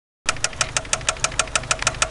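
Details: '93 Eagle Talon turbo, stock 7-bolt 4G63: sharp, evenly spaced metallic knocks about six per second over the idle; a spun connecting rod bearing, confirmed by piston play and after removing the oil pan.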